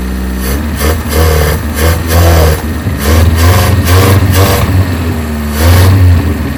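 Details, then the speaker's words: 1987 Toyota Corolla FX 1.6L, stored since 1999, idling months later with dirty oil and needing coolant. The idle revs and sags unevenly, hunting without settling; a remaining vacuum leak is suspected despite plugging lines. Rough idle. "Vacuum leak still. We plugged about everything off. Probably shouldn't let her run too long."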